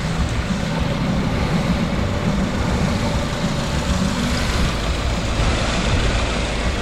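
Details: 2015 Subaru Forester with hot air from the AC, after adding about half a pound of refrigerant to the low side: steady, even engine-bay rumble with no grind or rattle; the previously loud chattery compressor now runs quietly and normally.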